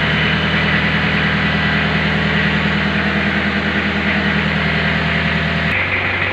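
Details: 1991 Isuzu Panther diesel warming up, engine said by mechanics to be still good, black smoke: loud, steady clatter holding even, then dropping to a lower note near the end, no knocks or misfires; normal diesel idle.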